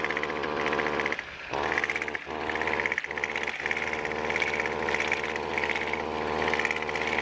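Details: Weed trimmer before repair, starts easily: thin, flat buzz that dips and stumbles a few times instead of revving crisply; bogging caused by a clogged exhaust spark arrestor screen.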